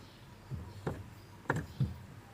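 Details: Four soft, dull thumps as the clutch pedal is pressed, no squeak or creak, after spraying Sonax and greasing the clutch pump rod and clutch spring at the pedal pivot to cure the creaking pedal.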